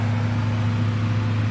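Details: RV powered by a Samlex PST-2000-12 2000 W inverter running a microwave, drawing about 1,100 W; steady low electrical hum, even fan whir, no rattles or surging, inverter cooling normally.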